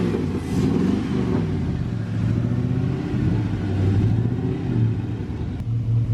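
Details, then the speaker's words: LS-swapped Suburban after replacing a twisted piston and rod, new cold air intake: low, even V8 burble with steady firing, no knocks or ticks; idles smooth and quiet, healthy. "it's so quiet can barely even tell it's running right now"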